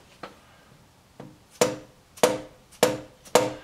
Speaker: this as tight as can be it didn't move at all